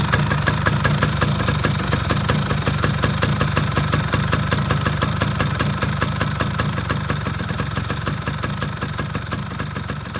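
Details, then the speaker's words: Yamaha F1ZR two-stroke motorcycle idling before restoration, with a busy, uneven rattle and ticking over a low drone; the engine sounds rough inside and the vibration can be felt outside, cause unknown. "Nah kalau temen-temen denger di sini ya ini suara di dalamnya agak kasar gitu dan getarnya Kayaknya sampai kerasa keluar"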